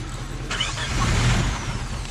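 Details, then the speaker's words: Vehicle after being driven underwater; plugs were pulled and water cranked out, and the distributor had been soaked; steady labouring crank that never fires; owner suspects a timing issue; engine cranks but will not start. "unfortunately we're gonna have to call it we've been trying to start this thing for a while sounds like it's got some sort of timing issue again"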